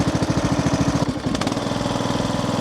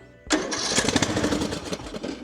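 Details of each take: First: Craftsman LT3000 riding mower, Briggs & Stratton single-cylinder, after carburetor work and new fuel filter screen, choked: steady even fast idle with no misses, knocks or surging; now running normally. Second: Craftsman LT3000 riding mower, Briggs & Stratton single: fires briefly on carb cleaner sprayed into the main jet, runs ragged, then dies. No fuel reaching the carburettor; stuck float suspected.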